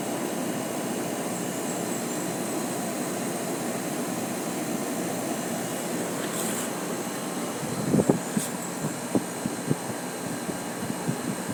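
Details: Samsung 12000 BTU air conditioner compressor running after a hard start: loud, rough, steady rushing drone with a few knocks near the end; abnormal running noise though still cooling, cause unclear.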